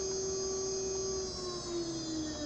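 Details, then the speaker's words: PwnCNC spindle on a Sienci Longmill MK2 with SLB via Modbus, spinning up after the SLB was power-cycled. A clean high motor whine holds steady with slight pitch drift and no grinding or rattle; a normal spin-up. "all I want to do is turn on my spindle and you can hear the spindle spin"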